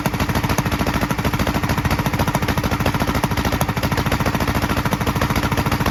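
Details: 1943 Gravely Model L single-cylinder on rebuilt magneto and borrowed 1955 L carburetor with its settings; harsh chug near 200 beats/min, uneven pops from carburetor and exhaust; valve lapping and lash check planned. Rough running with popping.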